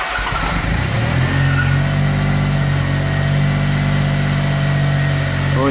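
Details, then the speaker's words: Smart car engine start after new water pump fitted, before engine fully installed; brief crank catches quickly into a smooth, even idle with low steady drone and audible turbo; normal engine start and idle. "you started not bad eh wow what a difference you can actually hear the turbo"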